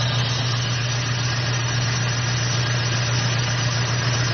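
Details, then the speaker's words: Jeep with Dodge/Jeep 4.7 V8 idling with a misfire, worsening fuel mileage: uneven, lumpy "puff puff" beat of a dead cylinder; unplugging coils identified cylinder one dead, suspected bad plug, coil or injector. "I got home and I got on a truck and I let it idle and it was making a foot foot foot foot sound so that means we got a myth"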